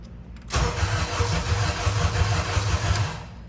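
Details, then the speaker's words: Acura TSX (CL9) after automatic-to-manual 6-speed swap with modified engine harness and new ECU; cranks, catches, then runs with uneven lumpy pulse about three beats a second and dies, won't rev cleanly, cause unconfirmed. "Oh no, what's going on? Doesn't run. So I hear it. yeah, I smell it. you get when we try to rev it, it doesn't rev cleanly."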